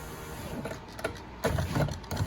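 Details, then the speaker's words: 13-year-old Grand Caravan passenger front door window: motor whir with irregular clunking and scraping crunch during operation, motor visibly moving, loose power window motor mount. "do you see it moving it's loose don't know how it came loose of course it was a 13 year old band so so it looks like it's just the motor loose"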